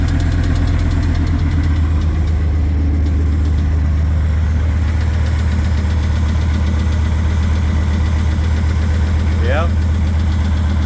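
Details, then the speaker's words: Unidentified engine on its first start after a bearing change, with a homemade EGR delete and fresh 0W20 oil. A light, uneven tick of about 2.5 per second rides over a steady idle. The owner suspects the head or balancer, unconfirmed. "It sounds like it's the motor, and it could be a bad head over here because that balancer could be ticking."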